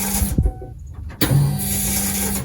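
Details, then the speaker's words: 1996 Ford E-350 Econoline with P0171/P0174 lean codes after sitting 1.5 years: fuel pump prime at key-on gives a buzzy, steady hum with clicks, twice, harsher than normal; failing pump suspected, unconfirmed. "It might just be me, or maybe it's a Ford thing, but that doesn't sound exactly normal for a fuel pump."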